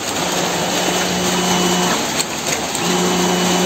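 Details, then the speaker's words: Honda Scoopy eSP ISS 2016 scooter, ECU failure case, microphone moved next to the fuel pump: with ignition on, a steady low hum runs under two seconds, stops, then returns; normal fuel pump prime before starting. "suara full P nyala kita coba nyalain motor"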